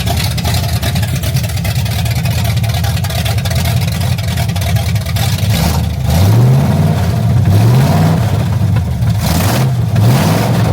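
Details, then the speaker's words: 1974 Chevy Corvette V8 after refresh, new intake, carburetor, serpentine drive, on straight open headers: loud deep burble at idle, then clean rising revs settling back, firing evenly; healthy running. "Oh! It's alive, baby. Woo! That's straight headers. It's pretty loud."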